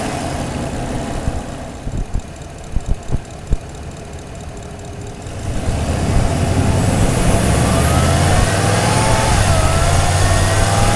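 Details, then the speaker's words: Toyota Tundra with aftermarket intake, mic hung in engine bay over airbox, windy: engine revs from idle with thin high whistle rising and falling with revs, like a turbo diesel. Intake whistle. "there is a heavy duty whistle coming out of that thing speaking of heavy duty the engine actually sounded like a tur turbo diesel with that whistle going on"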